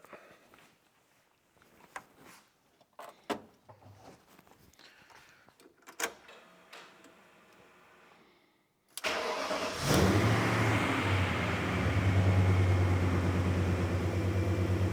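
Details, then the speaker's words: BMW E39 M5 S62 V8 track car just after an oil change with milky oil found: light clatters, then catches at once into a smooth, even idle with no shake or rumble; a healthy start. "up like I said except for the beauty of the exhaust this thing makes no noise doesn't shake doesn't Rumble doesn't [Applause] anything just sounds like European [Applause] Bliss"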